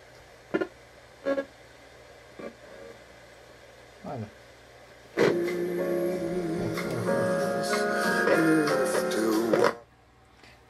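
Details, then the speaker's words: 1986 Hitachi TRK-3D2W stereo cassette recorder after cleaning: radio audio cuts in and out with scratchy pops and bursts from worn faders, plus buzzing and hiss suspected from old capacitors; replacement faders, belts and capacitors still needed. "still has this correctly sound unfortunately yeah I mean in theory I could buy the replacement faders"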